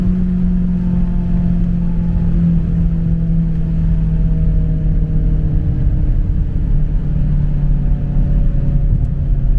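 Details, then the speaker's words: BMW X6M, transmission about 6,000 miles, cruising with windows closed and sunroof open: heavy deep exhaust drone shifting with revs under load, high-pitched and raspy but running cleanly. Loud raspy exhaust. "And on the way to the shop, I'm gonna let you guys hear how high pitch and raspy this exhaust is. And I only have the sunroof open. As you can see, the windows are all closed, and it's still extremely loud and raspy."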